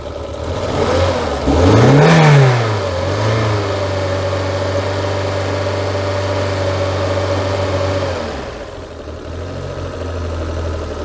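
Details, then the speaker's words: Citroen BX 16V petrol, stone cold, started with wide-open throttle and possibly flooded: blips then a rough, lumpy idle that dips, stumbles, splutters and smokes, a severe misfire; throttle position sensor earlier found with excess resistance. "As you can see, it runs, but it runs like crap. Very lumpy, lots of spluttering, lots of smoke,"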